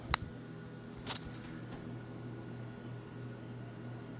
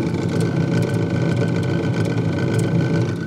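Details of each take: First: Refrigerator freezer fan after reassembly, following removal of ice build-up around the fan that had caused a loud helicopter-like rattle; now a quiet, steady hum with faint high whine and soft clicks, running normally again. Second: Fridge freezer making a loud, fast, steady low chopping rattle like a distant helicopter, heard with the fridge door open; usually caused by ice build-up around the freezer fan, which the fan blade strikes; removing the ice typically fixes it.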